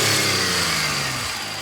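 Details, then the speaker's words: Vauxhall Vectra GSi at idle, heard under the engine: smooth even idle with a steady low hum, no knocks or misses; engine sounds beautiful, normal. "Sounds beautiful."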